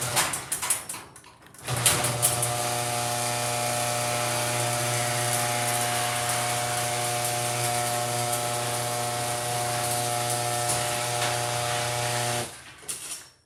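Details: HD200D running with very loud abnormal noise: steady buzzing hum with a strong low drone and rattly ringing overtones, even throughout; cause unknown.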